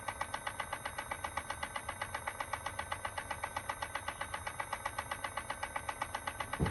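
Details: 2018 Chevrolet Volt: steady fast mechanical clicking, about four per second, repeating evenly over the quiet running car; owner suspects the transmission, cause unconfirmed; rhythmic clicking noise.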